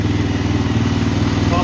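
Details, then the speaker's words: Suzuki LTZ 400 ATV after tune-up, in shop at idle without load; steady even single-cylinder thump with no misses, knocks or surging, normal idle. "of course like everything else it sounds sounds good sitting here in the shop"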